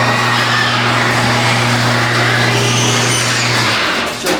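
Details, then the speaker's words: Mid-1990s Yamaha RT180 two-stroke dirt bike with a new spark plug and fresh fuel: it buzzes steadily for a few seconds, then the note collapses and it dies because the choke was closed too early. "gas off too fast. I mean, not the gas, but the choke."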